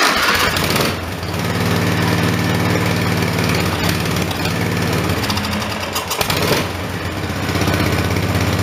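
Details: Briggs & Stratton 14.5 HP OHV single-cylinder engine after regapping: chugs unevenly with occasional sharp pops, backfiring and running rough; magneto looked not square, flywheel key later found not sheared; cause unclear.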